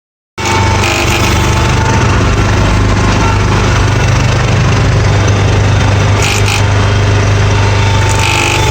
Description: Here's a noise my John Deere 300 Is making. It only does this when moving the hydro lever forward, with the engine at full RPM.